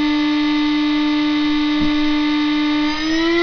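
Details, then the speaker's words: Chinese spindle, about two years old and somewhat noisier than when new, stepped 6,000 to 24,000 RPM in 6,000 RPM increments; steady high whine with a noisy edge, rising in pitch. "it's about 2 years old so which is a bit noisier than when I got it in the original video but not too sign the difference isn't too significant"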